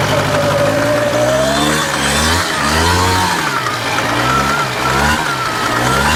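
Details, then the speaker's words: 1993 Polaris Sportsman single-cylinder ATV, after water pump seal and counterbalance shaft repair with JB Welded case neck: engine revs smoothly under riding load, no misfire, runs well; transmission still clunks but quieter than before. "That's what I'm talking about. Runs pretty good. Doesn't stop wear a but runs pretty damn good. Well, runs pretty damn good."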